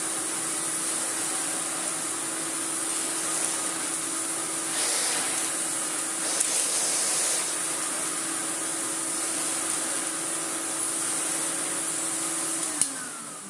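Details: 1990s Miele S228i vacuum, refurbished, after cord reel replacement, tried with an older-style floor head: steady, even motor hum with constant airy hiss, no rattles or pitch drops; motor runs healthy.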